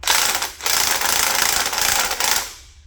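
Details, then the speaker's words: 1/2 inch dual 18-volt impact wrench: fast, even metallic rattle for about two seconds as the hammer spins inside the aluminum casing and strikes the steel anvil repeatedly, then winds down; normal impact hammering. "this is what it sounds like. And so basically what it's doing is it's spinning around in here, in this aluminum casing. It's coming around, hitting this other chunk of steel, coming back, hitting it again."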